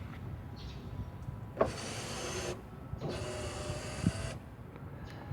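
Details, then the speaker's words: 2006 Ford F150 5.4L 3V 4x4: passenger and rear power windows run smoothly down and up with a switch click each press, working normally; only the driver's window, with its faulty master switch, has trouble. "so all those do work"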